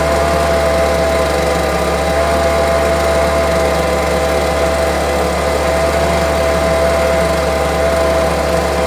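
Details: Homelite UT08572 string trimmer, small two-stroke, tested outside after repairs: steady, even buzz holding one pitch with no surging or stumbling. Earlier it would not idle down; owner will check whether an old "tink" noise is gone. Normal idle.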